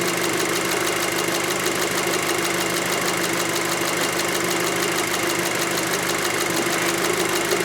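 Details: 2006 VW Passat 2.0T with P0190 fuel rail pressure sensor circuit fault and a lack-of-power complaint: warm idle runs smooth and even, with a fast steady ticking from the high-pressure fuel pump on top; nothing wrong heard.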